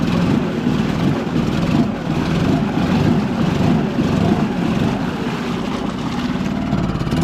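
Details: 2006 Suzuki DF2.5 4-stroke outboard that would only idle reluctantly and stalled on throttle, after the carburettor was removed and cleaned (old fuel looked stagnant): it holds a steady idle without faltering or stalling.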